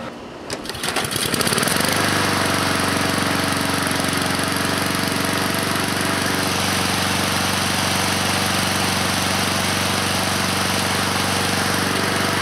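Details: 2014 Husqvarna HU700F self-propelled push mower with Honda GCV160 engine, after a carb clean: fires, climbs quickly to a steady governed speed and holds a smooth, even buzz; running healthy.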